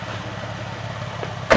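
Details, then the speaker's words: Nissan 370Z just after a coilover install, crawling down a driveway: the engine murmurs, then one dull clunk from underneath; the knock is suspected to be an exhaust hanger, unconfirmed. "You hear that knocking? You hear that? Yeah. My exhaust? Oh. I don't know how to fix that. Probably hanger."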